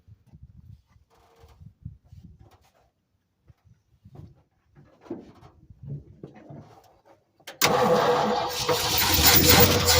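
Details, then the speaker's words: Late-1960s/circa-1970 Ford F-600 fuel tanker truck parked 25 years, new truck battery and a little gas poured in: engine catches at once and settles into a strong, even run with no misses; normal start and run. "so that wasn't nothing but putting the battery in it and turning the key and it's been parked [Music] 15 years no no 20 25 25 years holy moly 25 years guys look at that fired right up"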